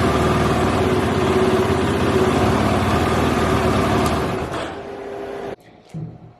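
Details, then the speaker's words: KTM four-stroke single, idle raised toward the manual's 2200–2300 rpm via throttle body idle knob: steady fast beat drifting up and down, never settling; unstable hunting idle from turbulent throttle body position. "it's unstable that's why it's hard to hold it fluctuates up and down"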